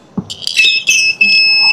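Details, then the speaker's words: Jump starter pack connected with reversed polarity to a Honda ADV 160 scooter battery after 2 months unused. The indicator turns red and short, high-pitched beeps sound in quick bursts as a warning. "Ayun nakita niyo nag-red oh. So ibig sabihin mali. So nag-indicate siya na mali yung lagay natin. Nagbi-beep siya."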